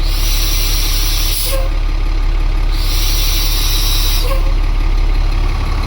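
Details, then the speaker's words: International 4400 with DT466 diesel at idle, after an O-ring fix for surging idle: two long bursts of air hiss as the brakes apply, with air exhausting from a stuck-open ABS valve. "We have another problem. One of the ABS valves is stuck open."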